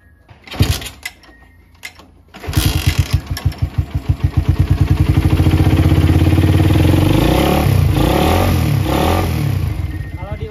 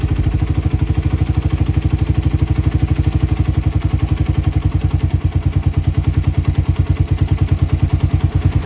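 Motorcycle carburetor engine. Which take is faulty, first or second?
first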